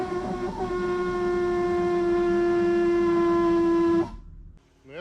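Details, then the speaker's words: Lixiang L7 at 130–140 km/h gives a steady, hooting whistle at one fixed pitch: wind rushing across a body-panel gap. The source was long unknown, and sealing rubbers stuffed between panels don't help. "проблема Лися в том что многие и слышали звук на скоростях 130-140 вот этот звук вот такой никто не знал как его решить откуда этот звук"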